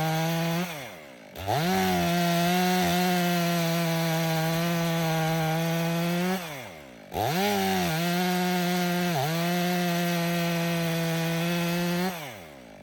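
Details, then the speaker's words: Stihl MS 500i chainsaw, 62 hours, warm, after fuel pump repair (stale fuel from sitting), freshly sharpened chain cutting frozen wood: crisp two-stroke revs up, holds a steady even howl while cutting, drops cleanly to idle twice; runs strong with no hiccup. "I think we got her. That saw didn't give me one hiccup outside this time. It runs excellent."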